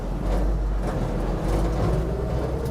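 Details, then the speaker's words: 1967 Ford F100 Southwestern Bell truck, driving first time after 30+ years, L240 engine; deep engine and road drone with loud knocks and bangs over bumps from cab rattles, since door seals and window felts are missing. "it's kind of a learning curve to drive this thing because the rattles and bangs inside the cab are so loud you can barely hear the engine"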